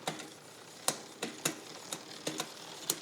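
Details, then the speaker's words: Bicycle with a newly installed SRAM XO Transmission wireless drivetrain; the rear derailleur was micro-adjusted outboard. Irregular sharp ticks and clicks come from the chain as the cranks turn, and the noise got worse: the rear derailleur is misadjusted. "that guy's still a little noisy huh a little bit I think it got worse"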